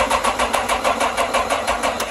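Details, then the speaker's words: Yamaha FJR1300 ABS motorcycle with a bad starter: even cranking pulses about six or seven per second for two seconds, then it trails off without firing. Cranks but won't start. "See, it won't start."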